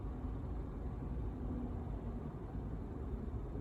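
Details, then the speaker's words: 2008 Toyota Prius stopped with the engine off: only soft low traffic hum, no whirring from the brake booster (a failing booster whirs); normal quiet standstill. "the brake boost is going bad you'll hear a whirring sound but notice I'm just stopped here and it's completely silent and just not even running"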